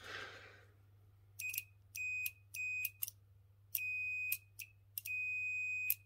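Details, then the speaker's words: Chaffoteaux & Maury Nexia boiler control-board relay, removed and tested on a continuity tester in beep mode; the beeper cuts in and out irregularly as the relay clicks, an intermittent contact suspected as the fault. "Il a des ratés. On entend qu'il claque, mais ça bip pas."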